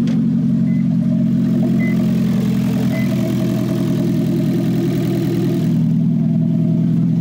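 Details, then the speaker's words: 2009 Toyota Prius idling after its catalytic converter was stolen overnight while street-parked: loud, raspy, unmuffled drone, far too open for stock. Loud exhaust from missing catalytic converter. "this is the most bizarre thing ever what why did your exhaust fall off suddenly"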